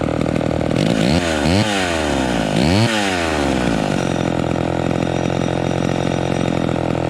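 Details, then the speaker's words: Vintage two-stroke chainsaw, warmed up. It blips cleanly up and down, then settles into a steady idle without bogging or loading up; low end normal. "so see that sounds pretty good we got we got good throttle response and it's idling without loading up"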